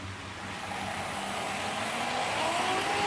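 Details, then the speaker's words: Trix 22764 DB BR 120.0 HO-scale metal electric locomotive with two driven axles, run in analog mode on a Kato controller pulling a short freight train: a high, hissy whirr builds as it speeds up. The motor is noisy. "And I will be using a shorter freight train for this run, as the motor on this one is quite noisy, of which you will hear in the test run."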